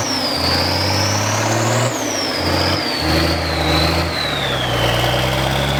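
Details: Old military diesel vehicle idling on its first start after sitting 10+ years, helped with ether: a steady idle with a few small rpm swells and a faint whistle on top. It sounds healthy.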